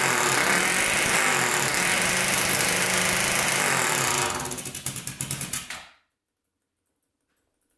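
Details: 1999 Honda 400EX turbocharged quad, after the carburetor drain bolt was referenced to boost: strong, even high-rev run for about four seconds, then winds down in slowing pulses and stops; runs a lot better, revving out.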